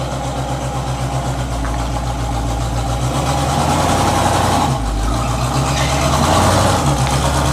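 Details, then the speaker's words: 1984 Chevy K20 V8: deep rumbling idle with a loose, raspy exhaust burble that swells with a few light revs; the cheap fiberglass-packed turbo mufflers, fitted a couple of years ago, sound worn and are due to be replaced with Flowmasters. "you just heard a whole clip of the way this thing sounds currently I'm done with these mufflers"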